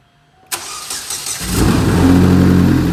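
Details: Big-turbo Chevrolet Cobalt SS on E85, after the spark plugs were cleaned and re-greased for a suspected plug misfire: the engine catches and settles into a steady, even idle with no stumbling, break-up or check engine light.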